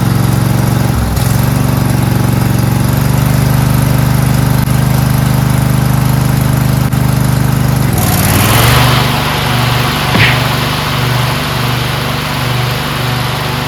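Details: Briggs V-twin on a DLT 2000 after replacing bent pushrods, both head gaskets, the cylinder head and the carburetor: a steady low drone holds speed under 48-inch deck mowing load, with a brief surge as the deck bites. Running healthy.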